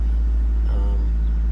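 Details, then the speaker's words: 2001 Saturn SC2 at operating temperature, in neutral, brakes on, foot off the gas, after a Seafoam treatment: a steady, fast idle still around 1,500–1,600 rpm, down from 2,000. "high idle for idling and see it's a neutral brakes on and my foots off the gas and still got a high at all so we're gonna have to try to figure this out"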